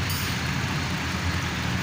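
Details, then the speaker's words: Mercedes SLK, code P0302: uneven lumpy idle with shaking from an engine misfire; all six coils tested fine, old worn-out spark plugs found and replaced. "سيارتنا اليوم مرسيدس، المشكلة اللي فيها مس فاير في الماكينة، يعني فيها رقلة الماكينة أو رجفة."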